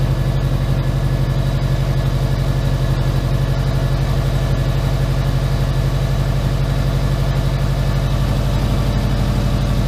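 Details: Subaru Impreza boxer with SOHC heads, just started after rebuild and over two years idle: smooth even idle about four beats per second, no roughness or ticking, idle dropped; check engine light on.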